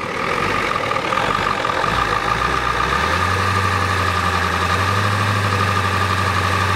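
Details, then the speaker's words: 1993 Ford F-250 XLT 7.3L IDI diesel, sat about a year, weak battery: heavy, uneven, lumpy idle with shaking. Owner thinks it's out of time and suspects the injection pump needs replacing (injectors previously replaced). "it's out of time hear it sounds funny it's out of time you guys agree you think it's out of time"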